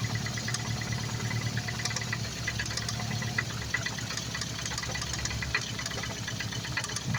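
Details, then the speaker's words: Freshly rebuilt Focus ST at idle: light, uneven ticking knocks coming and going over steady idle; owner unsure whether injector or cam phaser, rules out timing chain, suspects a split coil causing misfire (bad coil found on third cylinder); cause unconfirmed. "I don't know if it's an injector I don't know if it's a camp phaser see not on the timing chain it's not over here I'm getting a knock around over here"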